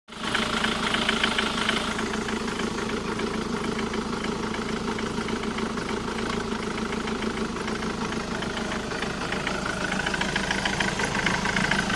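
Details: Jaguar X-Type 2.0d diesel idling: steady knocking rattle of about three beats a second from the driver's side of the engine; cause unknown.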